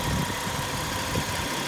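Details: 2008 Kia Rondo V6 after AC compressor replacement, previously run on a bypass belt with a broken compressor pulley. Engine idles evenly with a faint steady compressor hum and no rattle or clutch chatter. AC compressor running normally.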